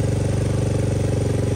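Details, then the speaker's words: 2023 KLX110 with a TBparts 143cc bore kit, Mikuni VM26 carb, BBR U-Flow and stock exhaust, on its first start after the idle was turned down: quick, even single-cylinder putter, smooth and healthy; normal idle. "there she is first start kick her idle down just a bit not bad for the first start though smooth sounds he yes healthy nice and"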